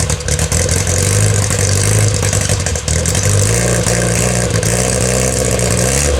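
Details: 1962 Austin Healey Sprite Mk2 with the 948cc engine, on its first start in over 40 years: it catches and settles into a steady idle with a few throttle blips, running evenly with no knocks or misses.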